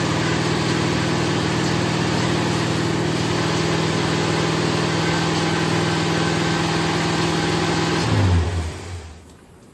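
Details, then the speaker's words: Rebuilt Ford 460 V8 in a 1975 Lincoln Continental, first startup after correcting the 180-degree-off distributor: steady, even idle rumble, then shutdown; sounded good, no knocks, but the oil filter seal blew and sprayed oil. "I did get to hear it run it sounded good but yeah we're going to be tearing back into it"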